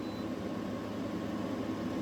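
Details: Newly installed GE AWFS10WWL 10,000 BTU window air conditioner, turbo button pressed with no audible difference; an even low hum and airy rush with no rattles, knocks or squeal. Runs steady and healthy.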